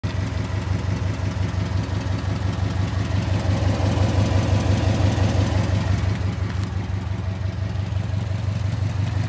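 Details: Subaru engine at steady idle with a light, even tick about twice a second from the driver side; ticking noise, cause not yet identified.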